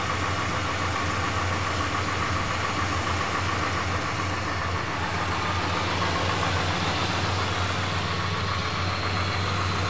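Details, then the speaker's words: Chrysler 440 RB V8 after spark plug change: settles into steady, deep idle with lumpy exhaust beat, no ticks or knocks; normal idle. "no ticks no knocks [Music] nothing just smooth 440 power and a great exhaust note"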